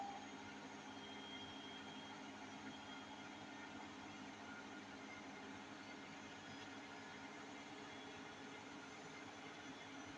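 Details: Hotpoint 8kg NSWM 843C Invermotor 1400 washing machine on a 1400 rpm spin: steady, continuous roaring rumble with no let-up from worn drum bearings; owner has repeatedly flagged the problem and a call to Hotpoint is planned.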